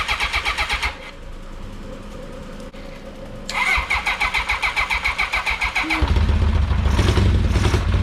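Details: 1982 Honda CB750K, first start attempt in years after carburetor cleaning: steady starter churn at about four compression pulses a second, turns freely but never fires; spark confirmed, possibly flooded.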